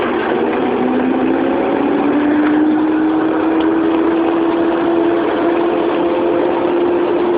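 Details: Proton Saga 1994 1.5L manual under acceleration: a clear whining, spinning tone rises steadily in pitch as the engine pulls; the source of the whine is unknown.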